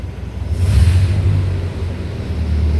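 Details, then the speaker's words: 1931 Lincoln K V8, already warm, on hand high-idle control linked to throttle, about 1800 rpm: low steady rumble swells briefly then holds even, no knocks or misses; normal high idle. "But this would give you like cruise control, or if you wanted to warm up, you can bring the engine RPMs a little bit. It's probably about 1800 right there."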